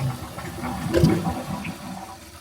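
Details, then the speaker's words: Kohler toilet after chain shortened and moved to straighter pull: brief whoosh of water fading within about two seconds, incomplete short flush; flush valve sleeve possibly not lifted enough, holding handle longer suggested. "And to me, that's not a full flush."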